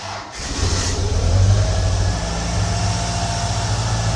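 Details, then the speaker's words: 1993 Ford Mustang Foxbody 2.3 Lima four-cylinder, after new fuel injectors fitted to cure an idle tick that remained after a lifter replacement: it catches quickly and settles into a steady low idle with no ticking; normal start-up and idle. "Hey, it almost sounds like a regular car. This is great. I'm happy with that."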